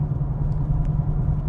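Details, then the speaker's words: VW Golf Alltrack at about 80,000 miles, just serviced (spark plugs, DSG fluid, oil), tires checked: steady low rhythmic thump several times per second under road rumble between 35 and 55 mph; source unknown. "I don't know, can you hear that sound? That thump, thump, thump, thump, thump, thump,"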